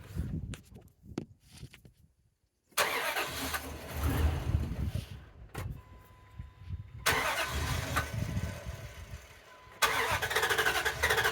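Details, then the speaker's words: 2005 Dodge Ram 4.7L, coil and injector already replaced, running after a clear-flood crank: uneven, loping beat with one weak stroke each turn. It is a constant cylinder 3 misfire. "so that sounded like a little bit of a misfire to me it feels like a miss a constant miss"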